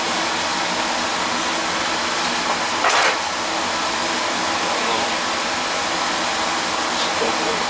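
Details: Oil burner (previously tripping out) running as a two-pipe system, heated oil mixing with cold returning oil: steady, even roar of flame and fan with no pulsing, rumbling or sputter; normal, clean firing.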